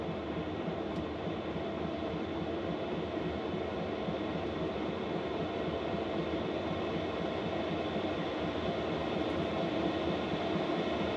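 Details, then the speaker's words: Diesel air heater (5K) installed in a Volkswagen Vanagon, controller turned to maximum 10, drawing 3 amp hours on high: even steady roar of fan and burner, no pulsing or rattles; normal operation at full power. "So that's running full tilt. That's as noisy as it gets."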